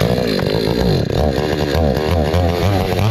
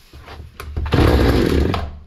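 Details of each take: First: Hyundai 650 chainsaw after repair for starting then stalling, adjustment opened slightly for fuel starvation: revs from a rough low idle to a clean steady high-speed howl without stalling; running properly. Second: Hyundai 650 chainsaw, before repair: fires and revs for a second then dies; fuel delivery insufficient, filter found unclogged.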